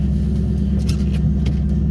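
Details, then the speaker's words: 1998 Mustang Cobra V8 just after a cold start, backed out of garage: even low idle rumble with no ticking from the top end; the tapping/rattle only appears once warm, absent while cold. "But right now, while it's cold, it don't do it. That's what I was talking about. It does not do it."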